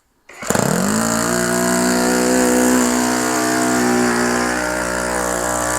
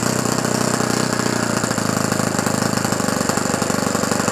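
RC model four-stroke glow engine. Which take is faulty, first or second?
second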